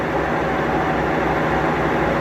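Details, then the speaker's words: Maytag Bravos HE top-load washer, final high-speed spin: steady, fast whirring drone, a little loud, with even hum and no knocking or scraping; healthy spin. "then it has two additional spins that are both high-speed very fast a little loud but you'll see just how fast they move"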